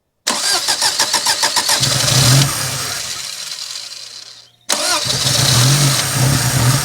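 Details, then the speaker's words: 1987 Daihatsu Charade GTti 3-cylinder turbo, sat 10 years, with smelly fuel. Easy Start sprayed into the throttle: it cranks, catches, runs unevenly, dies, then restarts on another shot. It runs only on starting fluid, so stale fuel is suspected over a jammed injector. "Well, it runs on that. It lives. Wow. It runs on Easy Start."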